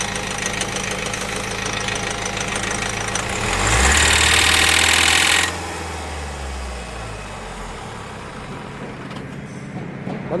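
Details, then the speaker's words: Mahindra Marazzo diesel: a light throttle makes revs shoot up sharply with a rapid hard tak-tak knock over the clatter, settling as revs fall; ignition must be cycled off and on to normalise; cause suspected, not confirmed. "Mahindra महाराजो गाड़ी के अंदर problem है कि हम जब गाड़ी में हल्का सा एक्सलेटर देते हैं तो आरपीएम बहुत ज्यादा फास्ट हो जाते हैं और इंजन में से टक टक टक टक इस टाइप का साउंड आने लग जाता है"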